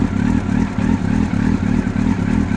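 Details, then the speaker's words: 1999 Yamaha R1, carbureted, cold, on a stand: idle throbs in a bouncy rhythm about three times a second but keeps running; it previously died after three seconds, and the fault was traced to a failed neutral switch. "still running it's cold so it's kind of bouncy it is a carbureted bike and we're still running"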